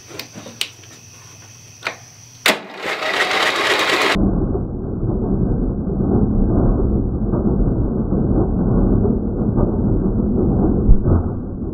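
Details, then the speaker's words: Lowe's 1442 riding mower (14 hp, 42-inch cut), bought with a locked engine: the starter turns it over with a steady churn for several seconds but it never fires; owner suspects excessive valve lash, found large at top dead center, is not confirmed as the cause. "so I wonder if it's not starting because the valve lash is off so I don't know what to keep digging into though I don't think it'll start like this either"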